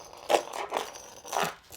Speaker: the next thing i'm going to do is show you this is the best you have to find all the drummy spots where all everything's loose best way is with a hammer you just go around the floor like this and